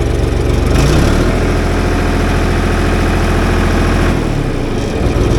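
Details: John Deere backhoe diesel after starter replacement: even diesel clatter at idle rising briefly and settling smoothly; cranking voltage stayed about 10 V, alternator working good.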